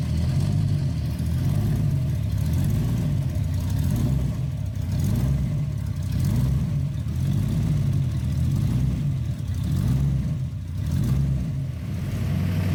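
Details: 1966 Ford Bronco 302 V8 with Lunati Voodoo flat-tappet cam, headers straight into Cherry Bomb Vortex mufflers, after replacing a faulty lifter: deep lumpy even burble, lifter tick gone; healthy normal idle.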